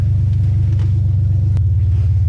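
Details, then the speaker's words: BMW E46 just after the turbo kit was removed, turbo oil feed plugged, naturally aspirated with open headers: deep, loud, steady rumble with an even low pulse, no misfire or knock; loud but clean idle. "I'm going to try to start it up for start na with open headers woo that's loud started up seems to be running all"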